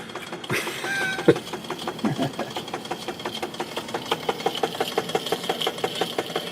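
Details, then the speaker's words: Webster 256 record changer from a Garod 15TZ6, after disassembling, lubricating and replacing rotted motor bushings: irregular light ticking that gradually firms up over a thin high tone; motor still has a dead spot each turn and won't hold speed. "here's another test after taking the motor apart lubing it up replacing the motor rotted out bushings these things so still have the dut spot on this"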